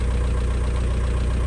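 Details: VW Caddy 1.9 SDi diesel just after an ECU replacement and throttle position sensor refit, fault light on: smooth, even low rumble at idle with no knocks or misses and the throttle working; normal diesel idle.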